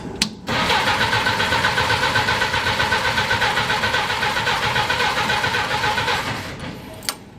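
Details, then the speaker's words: Willys Jeep engine after cracked block repair with brass plug, carburetor just filled with gas: about six seconds of even cranking, roughly four compression beats a second, never fires; won't start, a hole later found in the gas line. "You' have thought it a crank by now. Of course, I had to fill the carburetor up with gas."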